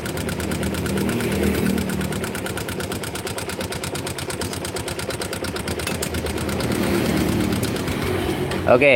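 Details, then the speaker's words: Yamaha MX motorcycle engine running: fast, loud, even metallic ticking from loose rocker arm clearance; the pulley bearing also has slight play but is quieter, and no cam chain noise was detected. "sini e suara cukup kencang itu dari suara pelatuk yang mengalami kelonggaran"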